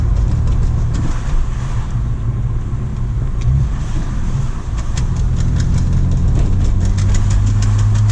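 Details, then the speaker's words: BMW E46 325xi touring, manual, driving on throttle: sharp light clicking that follows wheel speed over the engine drone, from a worn CV axle joint whose boot, replaced in February, is torn again. "So as you can see, it's like when you're giving it gas, you can hear that clicking that goes with wheel speed."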